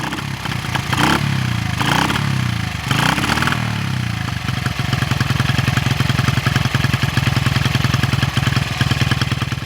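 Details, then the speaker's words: 1974 Honda XR75, 48-year-old single, after new plug and carb seal: uneven, lumpy, weak popping idle after sputtering starts; runs unhealthy, throttle not crisp, clutch slipping, engine straining on ride. "the throttle is not crisp at all the clutch is also slipping the gears are all smooth all four the engine is straining and doesn't want to clear out"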